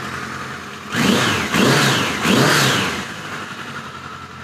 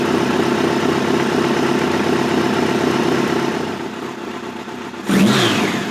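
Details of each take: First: 1986 Voyager XII 1200 after restoration, vacuum caps fitted, near-stock jetting (110 mains, 38 slows), still seems a little rich: three quick clean throttle blips, then smooth steady idle without stumbling or popping; normal start and idle. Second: '86 Voyager XII 1200 during carb synchronization, main air box removed, idle brought down to spec: two sharp pops a few seconds apart at low idle. Popping at idle; cause unconfirmed, possibly the missing air box.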